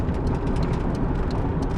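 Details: 1987 Volvo 740 Turbo wagon cruising after the idle screw was reset to its original position: steady, even engine drone under road noise with no stumbling or sputter; running smoothly.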